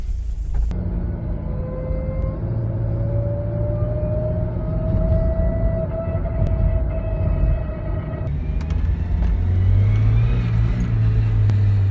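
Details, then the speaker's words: Automatic transmission, noise loudest in reverse: high, thin whine climbing in pitch with revs over the engine drone; typically planetary gears or oil pump starved by low fluid, a dirty filter or restricted pump suction. "Este ruido usualmente suele ser por los engranes planetarios o la bomba de aceite, pero no por un desgaste de estos, sino por la presencia de baja cantidad de aceite derivado por un filtro sucio, restricción del aceite en la succión de la bomba o simplemente le falta aceite a tu caja."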